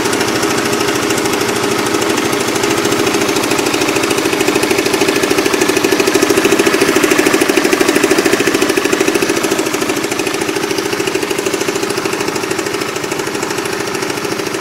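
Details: Motorcycle at idle, with a klotok knocking present for almost a year. A fast, even clatter of about three ticks a second rides steadily over the idle: loud mechanical engine clatter.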